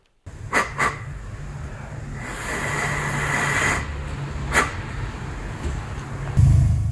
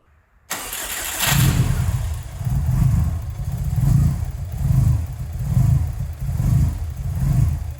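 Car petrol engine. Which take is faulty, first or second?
second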